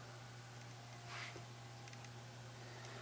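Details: YN600 LED light with replacement 5V 40mm cooling fan, heard from about 70 cm: only a faint, steady low hum with a light whir in a quiet room; fan runs smoothly and quietly.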